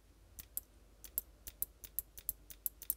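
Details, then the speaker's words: Eclipse Gtek 180R powered up after solenoid maintenance and reassembly: crisp, dry clicks, often in pairs, from the solenoid/pilot valve with each trigger pull, showing it is reassembled and connected correctly. "should be able to hear the solenoid clicking or the pilot valve clicking that means we reassembled and everything's attached correctly"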